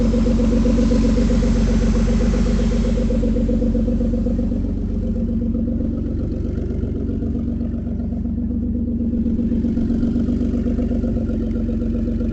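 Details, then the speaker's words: 2003 Ford Escape after a cylinder 4 misfire repair: steady, even idle with a smooth regular beat and no stumbles or shaking; engine running cleanly. "Feels smooth there. Our engine's not shaking back and forth like a freight train."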